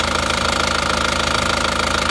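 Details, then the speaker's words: Isuzu Panther Touring diesel from Madiun at warm idle after repair; smoother as it heats, steady firm clatter with no misses or stumbles. "mobil ini kita coba kita bawa pulang itu kalau semakin panas malah halus"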